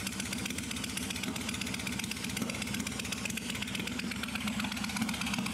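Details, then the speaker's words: Suzuki Intruder 1400 V-twin, carb primed after sitting a very long time, cold start: ragged uneven idle with scattered sharp pops and backfires through the exhaust; cold-start popping and backfire. "My bike will pop and backfire for a while. It will stop doing it quite as much after it's warmed up a little. You can hear it more if you give it throttle."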